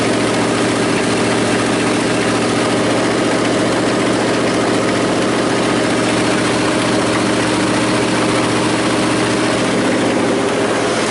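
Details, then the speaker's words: 1979 Chevy square body 3/4-ton, 350 V8, Turbo 350, sitting 23 years: fires a little smoky, rough loud idle with heavy uneven banging underneath that seems to be in the engine; source later found, not stated. "well it's fired a little Smokey got to find out what that noise is underneath of it it's kind of banging it's like it's in the engine"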